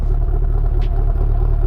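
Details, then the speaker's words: Chevy SS with LS3 idling loud, choppy and lopey, like an aftermarket cam, with uneven beats in the low rumble; owner suspects a misfire, not confirmed. "I don't know y'all can't hear it but that thing it's chopping and actually that that might be a miss that might be what that is it could be misfiring"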